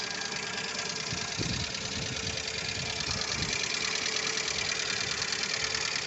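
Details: Lada Largus 1.6 engine at idle: light, fast ticking at about two per second over a steady idle, noisy hydraulic lifters.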